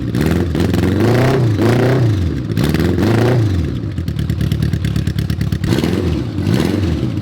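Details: Honda Goldwing GL1100 after starter clutch rebuild, previously clanking horribly on cranking: catches quickly, blips up and down, then settles into even smooth run with no clatter from starter.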